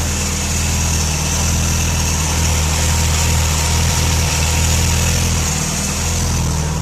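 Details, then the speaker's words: Toyota Celica ST205 GT4 on first fire-up with new base calibration: steady even low rumble at about 1000 rpm with faint turbo whir, no misses or leaks; smooth healthy factory-like idle. "So it's all seems fine. I haven't got any leaks or anything. It's just sitting there idling at 1000 RPM like it was factory OEM."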